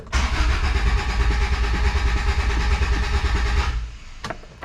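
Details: Honda Civic, recently fitted distributor cap and rotor, starter cranks steadily just over two pulses a second for about four seconds, never catches; no fuel reaching engine, suspected cap/rotor fitted wrong or out of gas.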